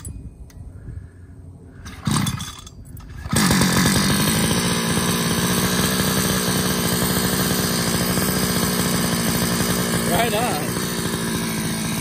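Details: Uberscoot Evo 2x scooter at first start, GP470 +1mm stroker with 6-port cylinder, HDA-223 carb, GP460 reed, stock exhaust, 7k clutch: catches after cranking tries into a steady, crisp two-stroke buzz. Normal running.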